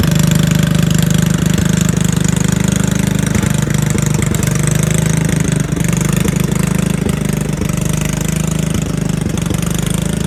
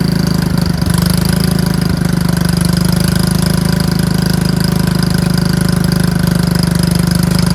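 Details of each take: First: Riding mower/tractor single-cylinder engine, run on a jumper pack after a dead 9-volt battery: low, uneven, stumbling thumping at about three to four beats a second; it hesitates, slows and dies after a few seconds; connecting rod not blown, cause unknown. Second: Lawn tractor with a dead battery reading 9 volts, started on a jumper pack: the small single-cylinder engine catches and settles into a steady, even putter with no stumbling; normal running.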